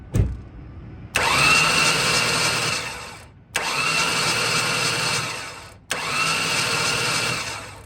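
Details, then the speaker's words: Ford Taurus sitting unused about three years, spark plugs removed after fogging oil, new battery: three even bursts of fast starter whirring about two seconds each, no binding; cranks freely, not seized. "that's some good news it spins over really freely it's definitely not seized"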